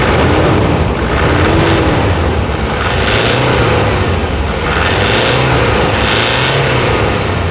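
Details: Diesel: pulls up and drops back smoothly with a clean even note, no knock or rough running across the revs; healthy.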